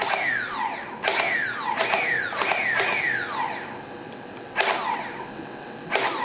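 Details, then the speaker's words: Turnigy SK450 quadcopter brushless motor after reflashing the Multistar ESC with SimonK firmware, bench throttle test: repeated sharp whine sweeps climbing quickly to speed then winding down, crisp throttle response; previously sluggish and intermittently erratic. "so this is the Simon K motor in ESC and as you can see sounds a lot more responsive already and what you'll what you'll notice is when I do the Full Throttle test look how quickly it ramps"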